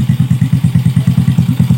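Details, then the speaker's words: Yamaha Vega R single-cylinder, cold just after starting, before warming up; owner complains it won't rev and stumbles when hot: steady, even idle thumping about eight beats a second, no knocks or misses; normal idle. "Oh enak motor ya suaranya."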